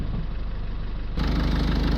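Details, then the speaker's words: Land Rover Freelander started with an Auxito portable jump starter, starting more easily than on its original battery; the engine settles into a steady, even low rumble with a regular fast beat, rising after a second, a normal idle. "Okay, so it stopped flashing and I can hear that the ignition has come on. Okay, Auxito ignition. Yeah, that was easy. That was very easy actually. Started better than the original battery"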